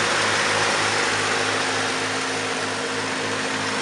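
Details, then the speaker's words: 1951 Chevrolet pickup, rebuilt 235 inline-six: steady, even idle with smooth unbroken hum, no knocks or misses; runs perfect. Normal idle. "it's a 235 runs like an absolute top just runs perfect"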